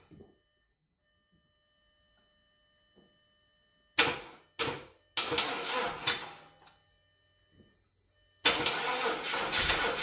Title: What could be the problem Here! Crank but no start [Check the Description for Answer]